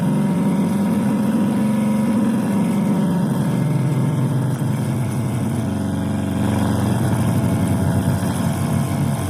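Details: Tivoli Model One table radio on 12VDC: no FM reception and weird AM noise, then a steady, low foghorn-like buzz unaffected by the volume or mode knobs. Cause was a faulty 78L08 8V regulator, replaced with an L7808.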